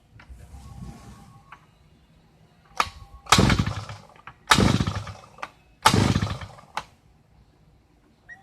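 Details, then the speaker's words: Thunder Bay Y43 two-stroke post hole digger that won't start but acts like it will: three or four pull-start bursts catch briefly and die; it later fired once given a little throttle. "The complaint is it won't start, but it acts like it's going to."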